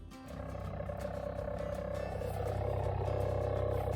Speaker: Customer states, "My car sounds like a purring cat whenever I put it in drive."